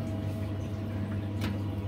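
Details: Combi boiler burner lighting on hot-water demand: a steady low roar with an even hum, no knock or whistle. It fires normally here, but a suspected diverter valve diaphragm fault shuts it off when the hot and cold taps open together.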